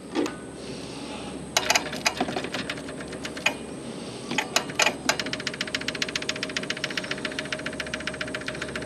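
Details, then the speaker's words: 1970s Onan RV generator, long unused: sharp, rapid, even ticking settling to about five to six per second as the low-pressure electric fuel pump fills and shuts off; pump working normally. "let's say this thing should be a very light pressure fuel pump on here not nothing crazy okay so we got that that's working good"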